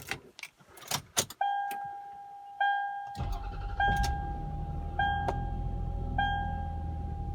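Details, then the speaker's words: 2002 Lexus RX 300 3.0 V6 (1MZ-FE) started after replacing the oil pressure switch/sensor for an oil leak, with a new Toyota oil filter and Castrol GTX oil. Warning chimes, then the starter cranks and it fires into a smooth, even idle. Normal start. "Oil is full, sensor is in, filter is in. Let's start it up."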